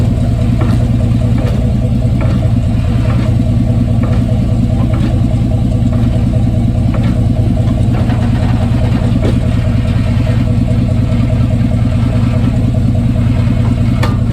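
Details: 1995 Chevy Silverado pickup 5.7, phone taped under the truck: heavy low engine drone with irregular knocks and clunks about every second; suspected driveline clunk, not confirmed.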